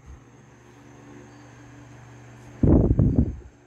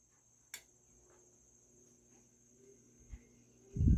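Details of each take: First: Vintage GE Vortalex 10" oscillating desk fan FM10V41, c.1949-1950, on high speed with the oscillator engaged: low even motor hum with no rubbing or rattle, a brief louder bump near the end; fast oscillation arc, otherwise running normally. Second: Vintage GE Vortalex 10-inch oscillating desk fan FM10V41, circa 1949–1950, started on low speed: irregular rapid clattering knocks about four a second for a few seconds, then fading to a very quiet run; owner suspects the gearbox.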